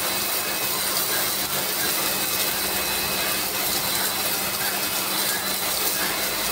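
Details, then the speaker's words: Lakoni Laguna 70 pressure washer spraying off moss: a loud, even hum with coarse spray hiss that never wavers. It runs normally but is noisy because it uses a brushed motor. "ya cukuplah ya suaranya juga cukup berisik karena ini masih pakai brush"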